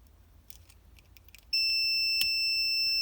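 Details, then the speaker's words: Vintage Mopar semi-automatic transmission rotary governor switch, bench-tested with a continuity tester from housing to wire terminal: after quiet, a clean steady high beep starts and holds, showing continuity, so the switch is closed at rest and feeds voltage to the 6V solenoid coil. "We have continuity, right? So this switch inside of here is always closed, meaning voltage is allowed to go from here and it goes to this coil."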